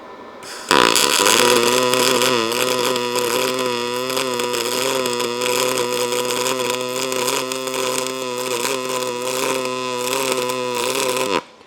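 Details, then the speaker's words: ArcCaptain MIG 205 MP in pulse mode raised to 22 volts, 120 amps: steady buzzing arc hum with fizzing crackle and spatter, turning more to hum with less crackle; voltage still somewhat low for the wire feed. "So, hopefully you guys can hear that's turning into more of a hum, less crackling."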